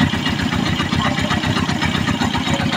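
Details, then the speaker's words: Honda TMX 125 single-cylinder idling after tune-up to cure tappet ticking: steady even thumping with smooth rhythm, ticking that was very loud before now gone or slight; engine running healthy, normal idle. "So Meron nga siyang konti Ayan Konti lang naman kanina sobrang lakas aos na wala pa starter to wala click ayos na"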